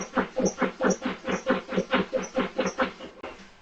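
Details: 2009 Subaru Outback at -5°F with a long-standing cold-start problem. The starter churns in even bursts for about three seconds and the engine never catches; it cranks but won't start, cause not yet confirmed.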